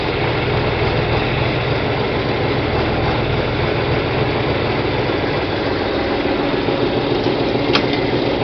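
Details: John Deere 4020 diesel tractor after clutch replacement and split reassembly, moving slowly in gear under light load: steady, even chug, no knocks or slipping; drivetrain healthy, normal running in gear.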